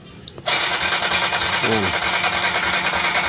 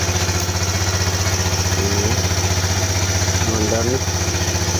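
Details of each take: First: Kawasaki Z125 motorcycle that dies during long continuous rides; starter whirs steadily at a brisk rate but the engine never catches, cranking without firing; spark plug to be checked first, cause not yet found. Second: Kawasaki Z125 that died during long straight rides, now running again: even, steady single-cylinder idle, about four pulses a second, no stumbles or dying out.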